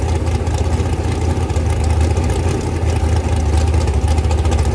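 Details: Rebuilt 426 Gen 2 Hemi crate engine (new heads, intake, pistons) on a run stand, flat-tappet cam break-in, 32° timing, kept under 2,800: strong steady low rumble, even pulses, no ticking or knocking; normal high idle.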